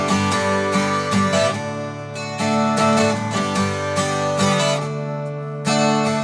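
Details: Breedlove Premier 12-string acoustic guitar, after a new G string and retuning from open C# to standard: clean strummed chords ring evenly with no buzz or rattle on the sixth string; normal playing, no rattle.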